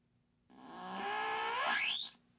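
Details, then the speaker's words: 1957 General Electric 14-inch black-and-white vacuum tube portable TV, power-up for assessment: buzzing tone climbs from low to a high squeal as vertical hold is turned; vertical oscillator working, but no audible high voltage. "definitely vertical and when I adjust the vertical hole the oscillator speed changes but uh no high voltage that I can hear"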